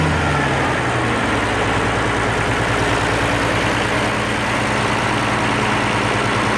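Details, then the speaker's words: Oliver 1550 diesel tractor in neutral after the sticky number 6 injector was pulled and rebuilt (it had been wet stacking and running cool). Steady, even idle with a smooth regular beat, no knock or miss; sounds much better after repair. "this time I'll turn the fuel on before before I start it there neutral and I should hook the battery back up okay oh that sounded much better"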